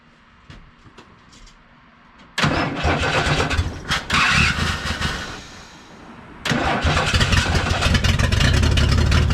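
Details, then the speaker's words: 1979 Ford F150, 300 straight-six, C4 automatic: after gas splashed down the carburetor to fill the bowl, uneven cranking stops, then it cranks and fires into a loud rough run; hard start, carb needs rebuild, possible vacuum leaks. "it's got some gas from the gas can here to give a splash down the carb trying to fill the bowl up but I can't really see down in there"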